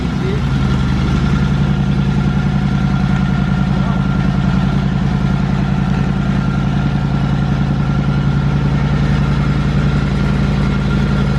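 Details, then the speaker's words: 1937 Indian Chief (also called 1938) barn find, seized engine freshly rebuilt with new rear cylinder, cold start on charger: steady, even low thump at idle, about 160 beats a minute, no knocks or misses; healthy brand-new motor. "That's a greenie. That's a brand new motor. Listen to it. Brand new motor. Wasn't that nice?"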